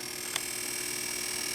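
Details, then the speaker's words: G08 monitor with chip bypassed: thin, steady high-pitched whine with faint low buzz and a small click as CRT deflection runs; X and Y deflection working, but no high voltage. "Can you hear the chatter? So now we have chatter. And I tested both sides of the yoke. We do indeed have X, and we do indeed have Y. So the deflection circuit is working properly, but we have no high voltage."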